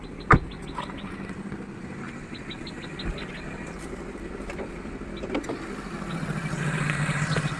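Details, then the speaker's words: Chevrolet Aveo, check engine and ABS lights on, revs rise and fall at start: low uneven idle rumble with vibration and stray knocks, swelling; hunting idle blamed on misadjusted throttle-body screw and dirty oxygen sensor. "என்ஜினுமே ஒரு வைப்ரேஷனோட அடைச்சடிச்சு ஓடுற அந்த நல்ல அந்த vibration சவுண்ட்லாம் நல்லாவே தெளிவாக கேட்குது."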